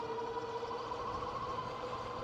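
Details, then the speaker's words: Engwe L20 3.0 e-bike in torque-sensor mode at about 23 mph in a high assist level; steady mid-pitched hub motor whine with a fainter higher overtone, creeping upward; normal, and quieter at lower assist. "Yeah, you can hear the motor whine a little bit on this particular bike."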